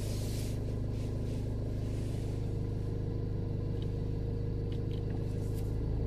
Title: VW high idle winter days consumption 1100 revs